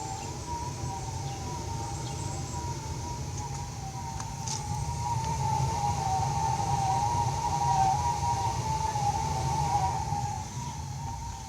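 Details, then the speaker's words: New Raypak R206A gas pool heater, days after install, pump running: a steady, slightly wavering upper-midrange howl over the low burner rumble after the burner fires, not heard on earlier runs; owner unsure whether normal, notes light rain. "so now it started to make a noise you know I thought was starting to to get the water flowing"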